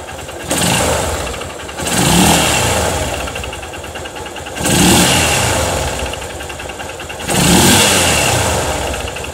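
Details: Honda Titan motorcycle, four short rev blips from idle: a dull knock that comes and goes with engine speed; noticed a week ago, owner suspects a knocking connecting rod (biela), unconfirmed.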